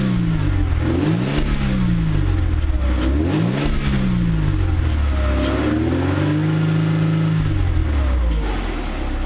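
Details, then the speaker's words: Mercedes W202 C230 after throttle body removal and cleaning, Seafoam burning off from intake manifold with smoke: repeated free revs rise and fall smoothly, crisp throttle response, no stumbling; normal revving. "Take a few minutes to burn off, but anyway, that's about it. Let's rev it up a bit more and see how much smoke we can get out."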